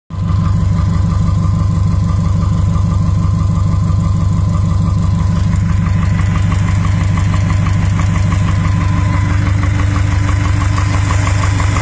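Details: 2012 Subaru STI with forged drop-in Manley pistons idling, hollow regular knock about three times a second over the boxer rumble: forged piston slap.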